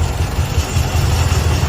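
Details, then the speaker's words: Toyota Vios 1NZ engine shaking at idle with the A/C switched on and no warning light on the dash: lumpy, uneven low throb with stumbling beats; a misfire from rodent-chewed ignition coil wiring. "นี่ชัดเจนเลยนะอันนี้อีหน้าเป็นสาเหตุที่เครื่องยนต์เดินไม่สะดวกเดินกันเดินสะดุดนะครับสรุปเกิดจากน้องหนูน่ะทำการกัดสายไฟนะ"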